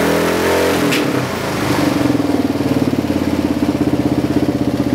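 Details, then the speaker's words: Kawasaki KLR650 just fitted with Two Brothers slip-on and mid-pipe: after startup, single thumps about four beats a second with uneven pops; backfires only at standstill; owner thinks it needs a Dynojet kit for fueling. Exhaust popping at idle. "It's backfiring a little bit when it's sitting still, but it doesn't do that at all when you're driving it. So I think it still needs a little bit of a tune."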